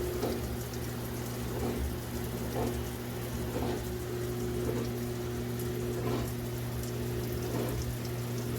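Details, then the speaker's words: LG Direct Drive HE washer in like-new condition, near the end of the rinse cycle: steady low motor hum with water sloshing about once a second, even and smooth; normal rinse. "an excellent job rinsing those clothes, making sure there's no soap residue whatsoever."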